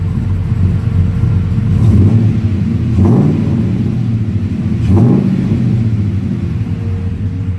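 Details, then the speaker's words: 2004 Dodge Ram LS swap with a 5-speed manual, cooling fans just kicked on: rough low idle with light throttle taps, each pickup soft and stumbling before the revs catch. Hesitation on light throttle at low rpm. "Yeah, she's fussy on the lower end when you touch the throttle. Gets a little fussy."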